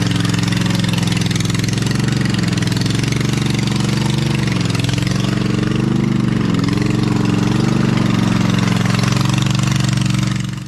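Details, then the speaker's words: Lesco Viper 54" zero-turn mower with a swapped-in V-twin, muffler lodged on only one pipe, e-brake on. Loud open-exhaust rumble at an even speed with small wavers, no knocking; normal running. "I also did not have it revving high enough, so I made an adjustment on the throttle. Now I feel like I got the idle and high rev perfectly there, so that's good."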